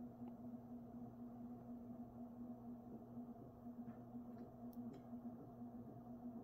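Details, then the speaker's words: Mid-to-late 1980s 56-inch industrial ceiling fan, cast iron motor, on 5-speed coil choke control at medium-low: steady 60-cycle motor hum with some clunking, possibly from a loose part, otherwise smooth running; about 250 RPM at full. "it does make that clunking sound and creates that 60 Cycle Buzz but despite that very smooth running fan"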